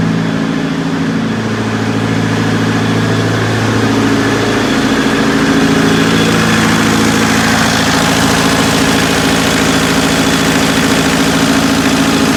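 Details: Perkins four-cylinder diesel (4.152/153/154) in 1980–81 Bobcat 843, injectors reset to crack at 2200, electric fuel pump fitted: idles with steady low beat but shaky uneven thump; starts easily but runs rough, cause not found.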